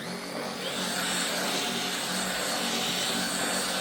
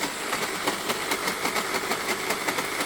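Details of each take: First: LG CordZero A9 cordless vacuum after brush head disassembly to fix grinding and sputtering: steady, even high whoosh with smooth hum, no grinding or sputtering; brush head runs normally after repair. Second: LG Cordzero A9 cordless vacuum: hissy roar broken by rough grinding stutters, about four or five a second, from hair wrapped around the brush head drive, with weak suction.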